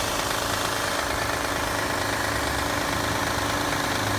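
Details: Engine parked overnight in cold weather, at startup: loud steady idle with fast rough ticking knock about three per second; noise goes away once warmed up; cold-start knock, cause not confirmed.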